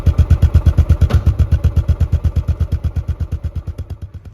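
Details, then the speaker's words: Royal Enfield Classic 500 after engine rebuild fixing ticking: deep even single-cylinder thumping about ten beats a second, easing off smoothly, no ticking or knock; normal running. "it fired up straight away idle perfectly so all that remained was to go for a ride"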